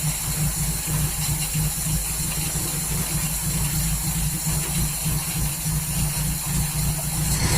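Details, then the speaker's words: 1939 Hillman after AC fuel pump work: low, lumpy, uneven idle; owner thinks the ignition timing may be out after he had been adjusting it. "Well, it lives. Sounds like a bag of rubbish."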